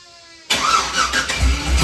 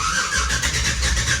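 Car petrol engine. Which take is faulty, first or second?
second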